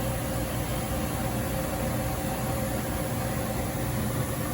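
Steady, even engine rumble with no knocks, clunks or rattles over several seconds; sounds healthy and runs smoothly.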